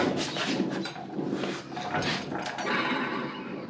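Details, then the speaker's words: John Deere L120 48-inch mower deck pulleys, hand-spun after belt failure: one of six bearings sounds good, five give a wavering, whinny-like squeal from dry, worn bearings; no grease fittings, owner may try oiling them. "one out of six bearings sounds good the other five sound like they're not long for this world there aren't any grease fittings on these"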